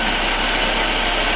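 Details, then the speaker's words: BMW project car just after cold start, heard from the front with AC working: steady, even idle with smooth hum and no clicking, ticking or knocking; runs very smoothly, normal idle. "So also in the front, everything sounds as we expect it to. So yeah, mechanically, No clicking noises, no clicking noises, anything strange. It runs very smoothly."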